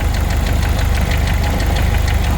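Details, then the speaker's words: 1992 Jeep YJ 2.5 with a 5-speed and about 200,000 miles, warm idle after a radiator flush: quick, regular light ticking that follows engine speed. The owner suspects the timing chain tensioner, which is prone to failing; not confirmed. "I'm wondering if that's the chain tensioner. I hear that they are prone to go bad."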